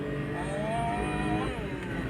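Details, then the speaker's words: Suzuki minivan D63 engine after setting cylinder 2 exhaust valve clearance (was zero): revs climb cleanly, no stumble or miss, check engine gone, strong acceleration past 80; misfire fixed. "So hindi na lumitaw yung check engine dito at ah malakas na 'yung arangkada niya. So aabot na siya ng 80 plus."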